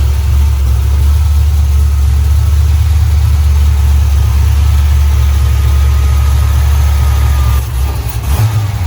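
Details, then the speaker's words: LS V8 after fouled plugs were found and the tune sorted, with new mufflers fitted: deep, steady rumble with loud exhaust, revs rising and settling evenly, no misfire or knock; running properly. "We got the new mufflers bolted on, you can hear them things."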